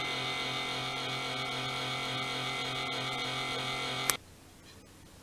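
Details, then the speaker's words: Laptop cooling fan running below proper speed: a harsh gritty growl with a whine and uneven rattle that stops at switch-off; the bearings were found shot and the fan needs replacing. "so yeah that was this fans bearings giving out so i need to replace this fan"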